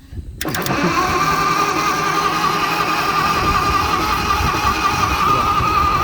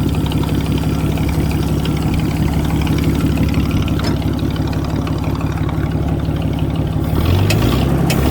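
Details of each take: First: Propane-converted flathead Ford in an old Motowlift forklift, run on 12 volts: steady cranking churn with constant starter whine, no firing; no spark because the distributor button wasn't contacting the coil post; fixing that gave spark and it started. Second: Motowlift forklift (1940s–50s) with flathead Ford converted to propane, 6-volt system run on 12-volt: deep, even low-pitched chug holding a steady beat with no misses or knocks; normal idle.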